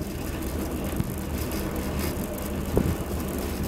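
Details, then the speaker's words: Homemade wind turbine generator running without load at about 100–130 volts: steady low hum with an even drone, slight circuit noise, no shaking or wobble; connecting a heating-coil load causes strong vibration and voltage drop. "does not shake , there is a little noise from the circuit, but in general it’s normal without a load, but as soon as I turn on the load .... the voltage drops, the wind subsides, you need to turn it off."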